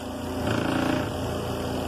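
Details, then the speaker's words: Zeny portable twin-tub washing machine, spinner running; buzzing rattle over the motor hum because the closed lid on the spinner side vibrates. Lid vibration. "this is the lid doing that on this side. So if I put the lid down, it vibrates it."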